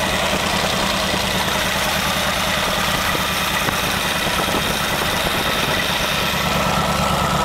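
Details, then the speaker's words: Studebaker V8 on a new Evans intake manifold, first start run: steady, even idle around 700 rpm, 18 to 19 inches of vacuum, good air-fuel mixture, no knocks or misses; normal idle. "okay it's pulling a very nice vacuum at 18 to 19 inches it probably sounds like maybe 700 rpms and getting a very nice air fuel mixture at idle"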